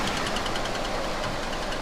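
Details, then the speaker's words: 2013 Kia Forte EX, first start after an engine replacement; steady idle with a quick, light tick on every turn, from the flexplate flexing where a torque converter bolt is not installed. "I just wanted to let you guys know that tick is basically a flywheel with the basically the torque converter bolt that's not installed it's it's flowers separating from the mountain bracket and that's where you're getting that tick"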